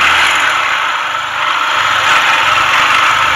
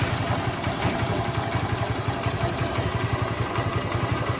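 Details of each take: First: TVS Star City/Sport motorcycle engine with a weak, uncharged battery, kick-started before a full engine rebuild, also smoking: the single idles with a rough, uneven tapping under a hissy mechanical clatter, connecting rod knock inside the engine. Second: Motorcycle after a full engine rebuild; steady low idle thumping with no knocks, ticks or rattles, and silencer smoke reduced. Normal idle.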